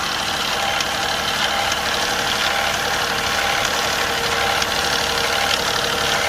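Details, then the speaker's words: Infiniti Q50 twin turbo after replacing both turbos, idling at just over 1500 rpm: light irregular ticking, loudest at the right engine bank. Source unconfirmed; owner fears the timing chain. Engine ticking at raised idle. "Right now the car is at idle and I have the RPM a little bit above 1500, and I hear this noise on the right engine."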